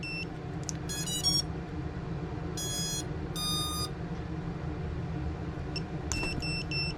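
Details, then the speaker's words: ViFly Finder Mini lost-model buzzer on a quadcopter: short bursts of high chirping beeps in spaced groups. It signals disarm after the battery is plugged in for about 3–6 seconds and then unplugged. "so if you plug it in um to one to five seconds and then unplug the battery it will uh actually you know disarm itself"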